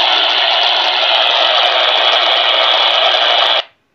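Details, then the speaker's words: Ham/PX radio scanning in a rural area: harsh steady hiss with faint ticks cutting off sharply when a transmission ends; garbled static from a dialogue, antenna not good enough for clear reception. "tava vendo um diálogo aqui alguma coisa nesse ruído Tá certo toda vez que dá esse ruído tá tendo um diálogo tá tendo alguma coisa Alguma mensagem está sendo passada"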